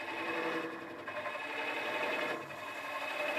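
A continuous, even scraping hiss that swells and eases slightly as the tool stays on the wood; a smooth, steady hollowing cut.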